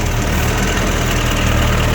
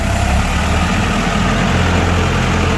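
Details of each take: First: Komatsu FD18L diesel forklift after an oil line leak repair: steady, busy idle holding a little fast with even firing and no knock; engine healthy but idle set slightly high, to be turned down. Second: Komatsu FD18L diesel forklift after repairing a cracked, leaking steel hydraulic line: low, steady diesel chug at idle with an even beat and no knocks or misses; healthy normal idle.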